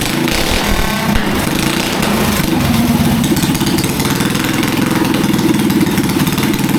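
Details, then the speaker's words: Rebuilt Predator 212cc racing engine on a go-kart with Nibby carburetor and short performance exhaust: loud, steady, crisp single-cylinder buzz at even revs, no misses, knocks or rattles. Normal running after repair. "Well guys, we fixed up the engine. It's running great, sounds great."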